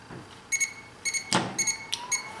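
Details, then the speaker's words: The second BMW N20 VANOS solenoid, removed and bench-pulsed with a KZEE power probe, gives crisp, even clicks in short pairs as the plunger moves cleanly out and back. Both solenoids tested good. Normal VANOS solenoid operation. "so let's test the other one and see if it actuates the same distance okay hopefully i got the polarity right there we go activation of the solenoid"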